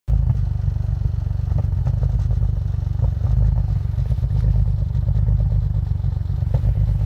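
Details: 2001 Audi allroad with F21 turbos, base stage 3 tune and 85mm MAF, cold start at 15°F; lumpy, uneven idle that keeps stumbling rather than settling, rough cold idle.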